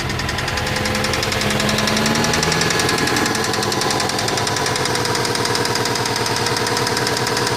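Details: 1999 Subaru Legacy GT-B: hard, rapid metallic knocking over the idle, about three or four a second; big-end con-rod bearing failure, attributed to prolonged detonation/pinging, possibly faulty knock sensor, bad tune, or low-octane fuel.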